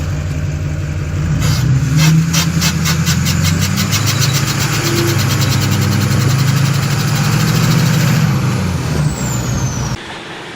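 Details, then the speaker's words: 2006 Chevrolet Silverado 2500HD, 6.6L LBZ Duramax diesel, NP263XHD transfer case: coasting is quiet, but under power a gritty rhythmic churning and rising whine sounds over the diesel drone, worsening over time; transfer case noise under load from pump rub, rebuilt. "you drive anywhere it's kind of weird because you could roll and it like you you just coast method but as soon as you got into power it would make that sound and it just got worse and worse and worse"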